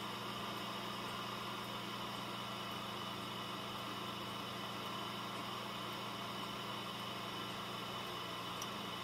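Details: Dell Optiplex GX280 SFF desktop with a Prescott CPU and a small heatsink, on a fresh install under heavy load: the CPU fan at full speed gives a soft, steady whoosh with a faint low hum and no rattle or wavering. Normal.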